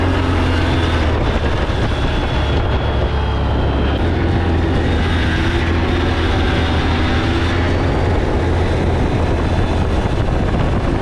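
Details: 2003 Yamaha Blaster two-stroke after full rebuild with new aftermarket parts, test ride: crisp even buzz holding steady, no knocks or rattles, sounds tight; normal running.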